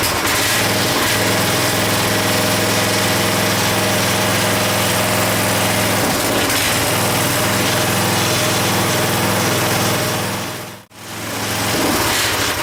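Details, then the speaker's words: Craftsman 5 hp 14-inch rear-tine tiller, first run after carburetor cleaning: runs steadily but stays at a low, unchanging speed, never reaching full revs; the idle control cable is suspected of needing adjusting, and a bad diaphragm/fuel pump was the eventual issue. "That's as fast as it wants to run up. I think it's, I'm going to have to adjust this, the cable for the idle control."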